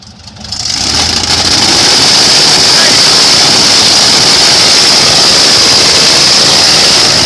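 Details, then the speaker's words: Airboat after a fuel filter change, throttle eased in slowly: loud, even roar with a steady high tone, no misfire; it sounded better, with a little flame out on lift-off. "sounded better there yeah yeah I just blew a little flame out when you [ __ ] let off it yeah"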